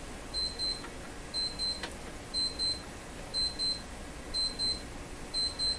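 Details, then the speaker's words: Alarm clock timer going off in a radio repair workshop during Philco 38 C7 tube radio capacitor work: paired high electronic beeps about once a second over a quiet room; a coffee break reminder, nothing faulty. "a coffee break indicator is telling me to go for a coffee break"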